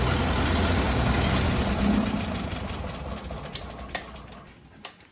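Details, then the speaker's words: Ferguson TED-20 tractor with new carburetor, fan belt retightened after loose-belt squeal; starts on key, runs low idle, revs to high idle and back down smoothly, even with no misses. Normal idle. "Overall, this thing starts and runs perfect. You can hit it with the key, and go low idle, and you crank it up, go high idle, and back down to low."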